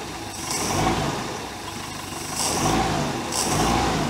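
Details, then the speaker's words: 1973 Larson boat, Mercruiser 120hp 2.5L engine: three quick throttle blips from steady idle, each dropping back cleanly without stumbling, as the accelerator pump squirts fuel down the carb throat to prevent stalling; normal throttle response. "that's that accelerator pump giving that little shot of fuel right down the throat of the thing to keep it from stalling when you're you know under acceleration"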